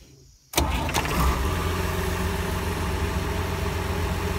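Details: International 1086 tractor diesel after fitting a new starter drive: quiet, then a short clean crank and it catches at once into a settled idle, no grinding from the starter drive; normal starter engagement.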